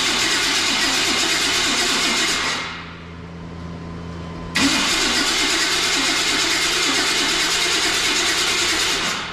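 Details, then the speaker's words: OBS Chevy Silverado that had sat a long time and ran before storage, cranked with fuel smell present: long steady cranking that sounds poor, a pause, more cranking, never fires. Owner suspects the ignition module on the coil pad (no spark); spark not yet tested. "doesn't sound [Music] good that starter shots [Music] terrible guys I would be willing to bet it's that module"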